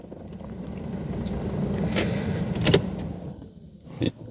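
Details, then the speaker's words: 2005 or 2006 Porsche Cayenne S 4.5 V8, about 311,000 km, engine possibly ruined: labored low groan about two seconds then clunks and fails to fire; weak cranking, owner suspects dying starter. "One thing that besides the engine block is dying is the starter. So let's see if we can even get the car started."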